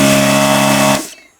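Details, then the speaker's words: Desoldering vacuum gun pump sucking through freely: steady motor hum with an airy hiss for about a second, then cut off; no blockage, since a blocked gun makes the pump rev harder. "I need to talk about these things they make this sound when they can suck through you can hear a hiss"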